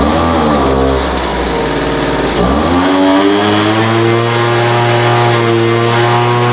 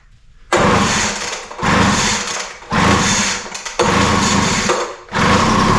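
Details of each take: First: Poulan Pro 200 mph two-stroke leaf blower, received as a non-runner, after carburetor adjustment: idle mixture leaned out from too rich and top end tuned. Settles at idle, then revs cleanly up and holds high speed twice; crisp pickup, steady tone, running healthy. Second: Poulan Pro 200 mph two-stroke leaf blower, non-runner, fitted with a replacement spark plug and given a start-on-spray test. Several short bursts of high revving, each dying within a second; spark, timing and compression are good, so the fault is carburetor/fuel delivery.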